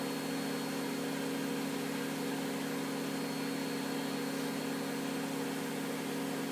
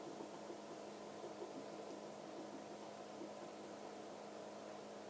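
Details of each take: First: Miele W562 washing machine in its fast final spin at 1300 rpm during an overdosed-detergent extreme suds test: steady high whir with constant hum, no knocks, thumps or scraping; normal high-speed spin. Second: Miele W562 washing machine in a deliberately overdosed extreme-suds test; drain pump growls with a low, steady humming drone as it labours to pump out very thick suds.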